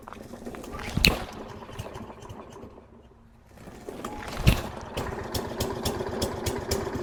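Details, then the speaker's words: Walk-behind lawn mower just out of winter storage, fresh gas added and primed: two hard cord pulls with no catch, then a rapid, uneven putter as it struggles to start; hard starting from a fuel problem. "Alright, so it took a little while, but it seems like it's trying to start."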